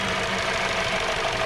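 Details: 2017 Hyundai Sonata with P0303 code; coil swap ruled out coils, plug swap moved the misfire, so the cylinder 3 spark plug was bad; uneven shaky idle with loose irregular low thumping. Cylinder 3 misfire.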